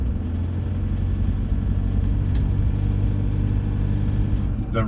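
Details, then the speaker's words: Cold diesel after about one minute of running, driving back streets at 1500 rpm under very light load: a harsh, uneven "marbles on the piston" rattle over the rumble. Bad cold combustion rattle; cause unconfirmed. "like there's marbles on the piston that's 1500 revs very light load then just been running about one minute just driving around in some back streets terrible isn't it"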